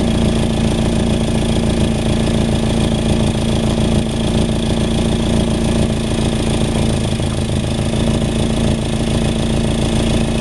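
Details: Nissan 240SX with KA24DE, 248/232 cams, intake, header, 3" resonated test pipe and 3" duals: lumpy four-cylinder idle with raspy puffing, then quick revs; exhaust leak.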